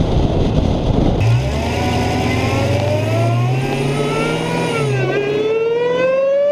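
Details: Dodge Hellcat driven on the road after a Legmaker (LMI) intake install: a clear whistling supercharger whine climbs steadily in pitch with road speed over the V8 rumble. Ordinary supercharger whine under acceleration.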